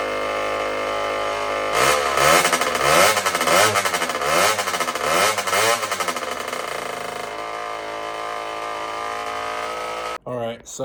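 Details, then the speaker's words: Tao Tao 110 mini quad with a swapped-in Kawasaki KX60 two-stroke on its first ride: revs rise and sag, stumbling each time the throttle opens, then an uneven idle. Bog on throttle; owner suspects a lean mixture, air leak or carburetor. "I tried getting a GoPro ride but it's just not running correct uh it it sounds like it's running uh super super lean or it has like an air leak it's got a bog when I give it gas so there's probably some air leaking in somewhere"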